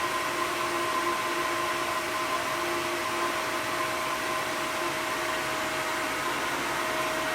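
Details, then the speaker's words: Cartridge filter refitted after cleaning, pump switched on manually, air bleed valve open: constant airy hiss over a steady pump hum with a fixed mid tone as trapped air purges until water arrives. Air bleeding during priming. "So when the water's coming out, that's when the system is all primed. You can hear the air coming out."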